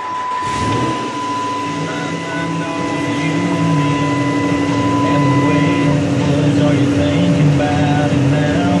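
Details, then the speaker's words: 2008 Dodge Ram 5.7L Hemi V8 started after an oil change, left idling while oil pressure gauge rises to about normal; low even idle with steady hum, no knocks or ticks; normal idle. "Just let it idle and it'll go up, and then we'll check our"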